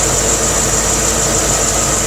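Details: C4 Corvette idling after its water pump was replaced: smooth, even idle with a steady airy whir on top and no knocks, squeals or misses. The earlier rattle is gone and there are no leaks, so it runs healthy.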